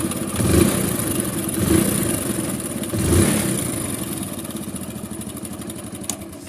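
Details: Hero Splendor Plus motorcycle idling with a fast metallic chatter from the top end: timing chain rattle, which returned even after a genuine Hero timing chain kit was fitted.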